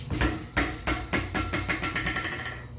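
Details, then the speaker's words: BMX bike rear Shadow freecoaster hub, wheel spun by hand before disassembly: sharp metallic clanks about three a second that quicken and blur as the wheel spins down; the noise is internal to the hub, cause not yet found. "so I got to take these abominations off and I figured now would be the perfect time to actually take apart my free coaster and see what the hell is making all those noises"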